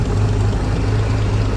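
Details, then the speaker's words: 1956 Century boat's long-dormant flathead marine engine, run briefly with choke pulled and no cooling system hooked up: low steady thrum, even beat, no knocking or missing; idling fine. "yeah perfect now we're not going to let this get too hot we don't have it hooked up to the cooling system right now we just want to verify that the thing's actually running"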